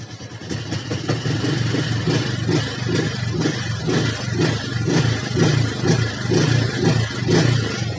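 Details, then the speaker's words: Honda Supra X 125 injection, previously sluggish, after cleaning the injector nozzle, throttle body and filter: single revs cleanly in quick blips about two a second, responsive and healthy. "teman-teman mudah lihat jadi hasil akhirnya suaranya juga Dokter tarikan responsif tugasnya Udah sesuai temui total porsinya ketika kita ngegas gak pakai repot ya"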